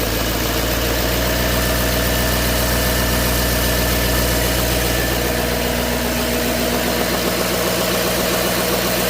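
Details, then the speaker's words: 2011 LML 6.6 Duramax diesel after applying GM PIP 4826C coolant line fix for an engine bay buzz: steady idle with the usual even clatter, idle ramping up, no buzzing heard. "But I don't hear it right now. Now it's ramping up idle."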